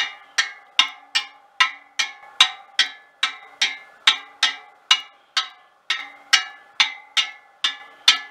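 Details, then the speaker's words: Trued wheel of a 1939 Royal Enfield 500 Model J Bullet: twenty pings per side at nearly the same pitch, with a different note per side from different spoke lengths, showing even tension. "they're all pretty near not 100 exact but within a gnats i would say and on the other side a slightly different note because of a different length spoke of course 20 of them all play in pretty much the same note as well"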